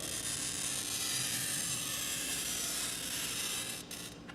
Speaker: first I'm gonna use a glass cutter that been been around in the glass shop for a while and you can hear the noise that it makes it's what the noise that MIT made earlier you can hear that crackling noise